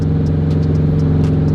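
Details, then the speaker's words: 2004 Subaru WRX STI driving: engine pulls steadily but irregular sharp clacks break through as the car moves after something physically popped; speedometer no longer reads speed; owner suspects rear diff, axle or transmission, unconfirmed; engine still runs. "Something is very broken. Well, something physically popped."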